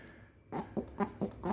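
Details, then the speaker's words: Mechanical fuel pump for a 1978 Honda Civic (120k km, sat since 1995), removed and worked by hand: quick even squelching strokes about four a second; pump draws and pushes properly, working fine. "right and that sound pretty much guarantees your pump is working just fine so just the one day it didn't work"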